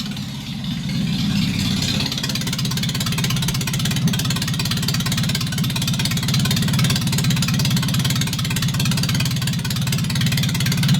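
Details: MGB under restoration, started up with no exhaust headers fitted: steady idle with a harsh, raw, unmuffled bark, louder than the speaker's voice; everything works.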